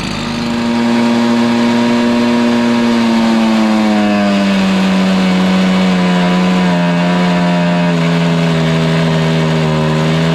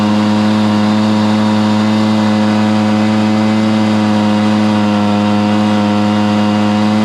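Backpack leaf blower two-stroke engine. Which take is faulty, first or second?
first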